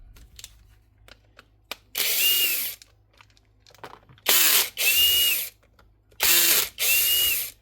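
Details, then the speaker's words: Metabo SSD 18 LTX 200 BL 18V impact driver, previously fitted with a new switch, run unloaded: short bursts of harsh rattling hammering with a rising whine. It impacts with no load; a gearbox fault and a failed top needle bearing are suspected, not confirmed. "When we first switched it on, she was impacting with no load. So I'd say this here needle bearing up the top might be gone."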